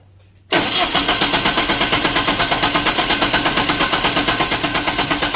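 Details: Diesel genset, hard starting: quick, regular cranking pulses, about three a second, grind on with a harsh clatter and never catch. Fuel found to contain water; being drained and replaced with fresh diesel, return hose checked.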